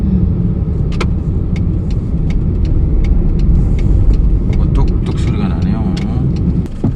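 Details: Hyundai Accent at about 135,000 km, warmed up, air conditioning on, driving: sharp irregular ticks and clunks over steady road rumble when the steering wheel is turned; steering knock, cause not yet found.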